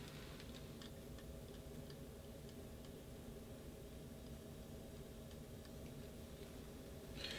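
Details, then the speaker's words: BougeRV diesel heater in a DIY travel trailer, just started from the phone app, in its ignition phase while duct air is still cold; quiet, light, slow uneven ticking over a faint fan rush. This is normal ignition. "And what's happening right now is that the heater is uh just starting to go through its ignition phase. Usually takes a few minutes and you'll actually see the progress in the combustion efficiency spot right here."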